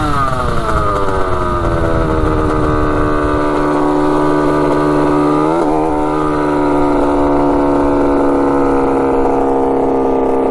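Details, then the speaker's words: 1985 Yamaha YZ80 two-stroke after a rebuild, warm, ridden under load: a crisp wail climbs and holds clean, drops briefly at a shift, then pulls strongly again. The silencer is not working well. Normal, responsive running. "sounds so good yeah she's sounding pretty good that's crazy obviously the silencer is not really working too great but uh yeah she's ripping good wow"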